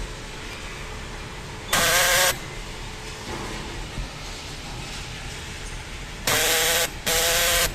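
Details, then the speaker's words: Power door lock fires three short, harsh buzzing rattles like a machine gun: the actuator gear slips because play develops along its track; fixed by shimming behind it with a thin strip cut from an aerosol can. "a trava faz um barulho parecendo que tá metralhando"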